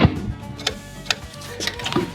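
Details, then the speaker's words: 1980-86 Ford F-150 Bullnose truck, original wiper motor: sharp isolated clicks about every half second with no motor whir; wiper module clicking because the motor has failed, as it only runs briefly and inconsistently; replaced with aftermarket motor. "Making those clicking noises, that's actually a way for you to know that there's something going on with your motor if that module clicks like that."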